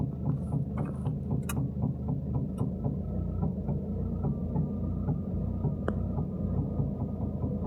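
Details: 2019 Toyota Etios GD engine at idle: uneven, lumpy low throb with stray irregular clicks instead of a smooth beat, a misfire of unknown cause.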